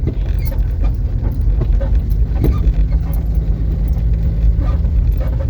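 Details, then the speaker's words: Car driving over road: irregular dull knocks over low road rumble come from a loose shock absorber mount bolt. Its nut worked loose over bumps, so the bolt hammers and wears the bushings and itself. The fix is to tighten it properly. "después con el movimiento el perno va a ir pegando en los bujes desgastándolos y desgastándose a sí mismo también"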